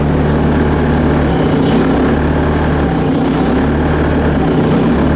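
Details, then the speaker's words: 90s Bobcat 763 C-series Hi-Flo with failed BICS computer (no lift/tilt), running on a bypass that energizes the master hydraulic valve solenoid. Steady deep diesel drone with auxiliary controls on, no dip or bogging; engine carries the hydraulic load fine. "I want you to listen for the bogging of the engine on the auxiliary controls. You don't hear anything. Come up here, get your auxiliary controls on."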